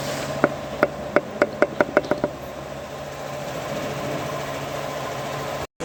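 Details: Hyundai Solaris engine: about nine sharp, loud knocks speeding up as it starts, then a steady run with a faint tick; knocking engine, cause unknown.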